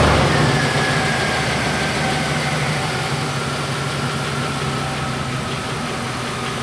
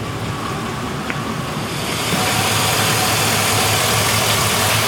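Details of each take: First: 99 GMC with 2013 Silverado 2500HD 6.0 V8 swap, after replacing injector number eight for fuel smell from passenger exhaust: steady even idle with no pops or misses, earlier exhaust popping gone. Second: 1999 GMC with a 2013 Silverado 2500HD 6.0 V8, after new bank 2 injectors for a fuel smell in the passenger-side exhaust: steady idle with a light, regular tick; owner suspects an injector, unconfirmed; earlier popping gone.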